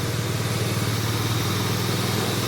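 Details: Toyota Corolla Altis single radiator/condenser fan motor after repair of its rough noise, engine running: even low hum and smooth airy whoosh, no rasp or grinding; fan now pulls correctly and sounds healthy.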